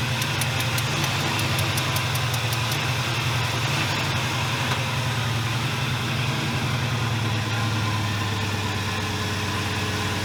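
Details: 1981 Buick LeSabre, Oldsmobile 307 V8, after battery reinstalled: loud, deep idle with lumpy, uneven beat and no steady rhythm, running rough; owner suspects worn distributor shaft, timing or vacuum leak, unconfirmed.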